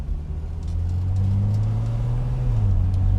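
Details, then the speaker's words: 1972 Mercedes-Benz W108 280S barn find, revived after about 10 years standing, with gearbox work done; warm at 80 degrees with good oil pressure, accelerating without flooring it. Engine climbs, dips briefly at the change, picks up cleanly; smooth shift. "such a smooth shift. Yeah. Eh? Yeah. And I'm not flooring it at all."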